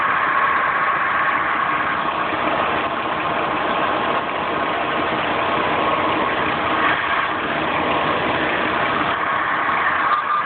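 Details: Engine idling steadily with a constant hissing whir and no clear knock; owner suspects a bad water pump, unconfirmed.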